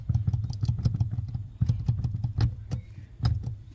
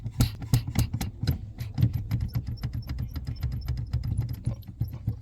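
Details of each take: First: Honda Vezel after greasing the dry brake light switch: brake pedal pressed repeatedly with only soft clicks over a low idle rumble, no squeak left. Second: Honda Vezel brake pedal being pumped: faint high chirps and soft creaks from a dry, ungreased brake light switch; greasing the switch eliminates the squeak.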